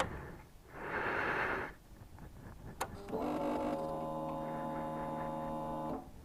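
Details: 2002 Suzuki GSX-R 1000 after yearly maintenance (tank rinsed, pump cleaned, new air filter and NGK plugs), cold: steady electric whir for about three seconds then cuts off cleanly; normal fuel pump priming before first start.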